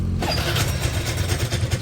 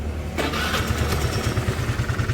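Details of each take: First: Suzuki Lets scooter before repair: rough uneven idle with loose clattering right after starting; engine noise suspected to come from the side cover, which is also leaking oil, cause not yet confirmed. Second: Suzuki Lets scooter after refitting the cover: quick crank and catch, then steady even idle putter without knocking or rattle; engine noise fixed.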